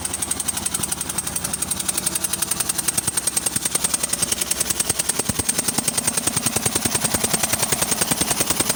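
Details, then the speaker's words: 2004 Ford Escape cold start: sharp steady ticking pop at about 200 per minute from cylinder two, with fuel smell; owner suspects the injector blowing out its O-ring. "what the problem is is uh you can smell fuel in this one and uh what happens is you can hear popping away"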